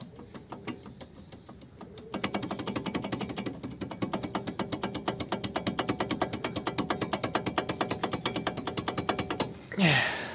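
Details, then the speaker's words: Chevrolet Aveo T300 front brake caliper rocking loose: crisp metallic clicks about twice a second. Knocks over bumps and stops when braking; owner suspects wear at the caliper mounting bolt or guide pins, unconfirmed. "подводя итог то есть и у меня и у вас стучат тормозные суппорта конструкция такова что у какого дальнейшего они почему-то стучат"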